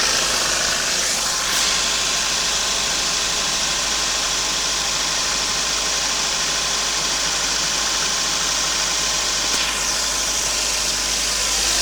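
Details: Toyota 5A-FE, cold start: from about 15 seconds a light, uneven ticking knock at about three per second rides over a hissy idle; owner suspects it comes from under the valve cover.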